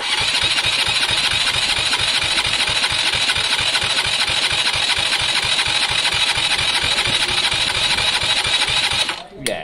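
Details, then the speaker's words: KSR Moto motorcycle compression test at wide open throttle, ignition on: fast, easy, even starter cranking with light beats and no labouring; compression is very low, so the engine needs a rebuild. "very clear very very clear all right well at least we know there's no point messing with everything else um it needs an engine rebuild"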